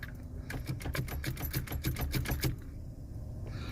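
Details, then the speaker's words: Pontiac Fiero, long-sitting, battery just charged, fuel pump growling and fans running; turning the key gives a two-second run of light clicks with no cranking; owner suspects the starter is shot. "Come on, starter. I bet the starter's shot."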